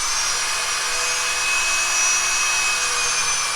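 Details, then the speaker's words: Drill priming the oil pump on a freshly rebuilt 283 from a 1965 Nova wagon before test-stand break-in: a steady high drill whine with no catching or laboring as oil starts coming out; normal priming. "yeah there we go now start looking for oil there you go there you go look at that see it starts coming out"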